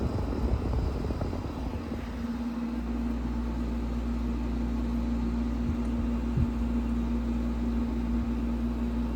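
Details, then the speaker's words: Window air conditioner, first startup of the year, on low cool. Low steady hum with a faint even tone after start-up, no rattles or knocks; running normally. "You can hear the air temp running."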